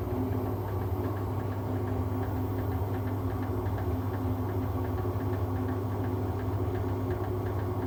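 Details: Siemens washing machine: deep steady rumble with fast, even knocking throughout the run; owner unsure whether the shocks, bearings or drum spider are the cause.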